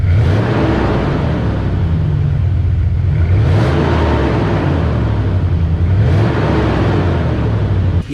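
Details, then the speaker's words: 2001 Dodge Dakota 4.7 L V8 with stock muffler, before muffler delete: quiet deep rumble swelling smoothly with throttle blips and settling evenly; barely audible from the cab, clutch fan speeds up with revs. Normal exhaust note. "so that is completely pathetic. I mean, it just barely whispers. I don't know what it sounded like out here, but from inside the cab, I mean, you just barely hear it."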